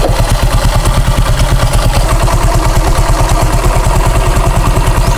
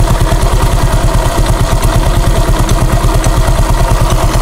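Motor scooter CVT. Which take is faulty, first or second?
second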